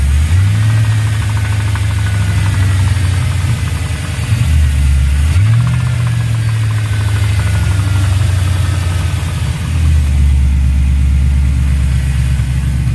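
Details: LS V8 at idle: steady idle with a rough rapping knock underneath, about three per second, rising slightly as revs come up; engine knock.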